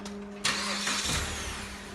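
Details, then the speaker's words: Fiat Freemont after repair of noise from under the engine above 2000 rpm (connecting rod caps addressed; oil pump was fine): brief crank, catches cleanly and settles to a quiet idle with no knock or rattle. "tá aqui ó motor em silêncio estranho esse silêncio marcha lenta fiz o procedimento"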